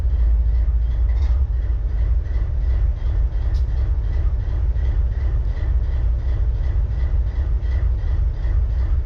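Deep, heavy diesel idle with an uneven, loping beat about three times a second; one cylinder is misfiring.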